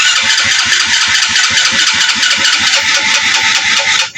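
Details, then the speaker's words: Rusi Kraken motorcycle (about 110cc), body panels removed, before repair: the starter cranks in steady low chuffs but the engine will not start; it backfired loudly earlier and the battery runs down. The fault was later traced to a rusted, wet high-tension wire and plug cap. "Try nating paandarin. Start natin. Papapansin niyo ayaw umandar."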